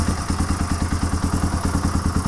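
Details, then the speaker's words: Warm 1997 Suzuki DR350 single-cylinder with Mikuni TM33 carburetor leaking fuel from overflow idles lumpily and slows toward stalling; owner suspects rising float level richening the mixture, likely a dirty float needle valve. "here it slow down yeah in fact it'll probably eventually die and the reason I think that's happening is the float level is getting higher and higher and higher and making the mixture richer than it should be until it quits"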